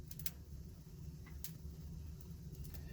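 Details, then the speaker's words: 1956 American Flyer #569 whistling billboard motor at full accessory voltage: steady low electric hum with faint clicks, motor powered but hung up and not spinning, no whistle; owner suspects a part with a screw underneath needs adjusting. "it hums it wants to go but as you can see it kind of it's just it's just getting hung up so i'm not exactly sure um what the deal is"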